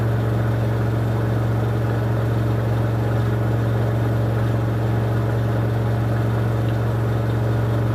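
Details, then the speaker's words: 2006 LG WM14225FD front-loader on the final 1400 rpm spin of a 60°C cotton cycle, with a very unbalanced load. Steady low drone with a rough, even rumble; owner hears worn drum bearings at 1400 rpm, and a replacement machine is ordered. "so there we go that wasn't too badly behaved final spin but I could definitely hear those bearings go in at the 1400 when it got to that speed"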